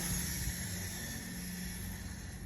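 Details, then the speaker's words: Honda Goldwing front wheel spun after installing Centramatic wheel balancer, reassembled and torqued: soft, steady sandy swish with no grinding or clicks as the balancer beads roll normally inside. "the sound of those beads rolling around."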